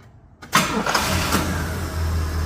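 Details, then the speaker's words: 1975 Pontiac Grand LeMans V8, back on the road after 21 years, after replacing cracked leaking vacuum hoses: short crank, catches, settles into deep steady idle, no vibration or stumble; far better than before. "I that is way better it's not vibrating oh yeah oh thank goodness it wasn't like ignition related or something like that"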